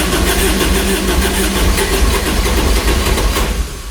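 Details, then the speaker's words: Kubota RTV900 diesel UTV (2007 or 2009) that blew white smoke, first start attempt after a head gasket repair, 12 volts present: starter churns steadily, about three turns a second, but it never fires. Cranks, no start. "Wants to go. Nothing. Hm. Doesn't want to go. We're getting fuel to it."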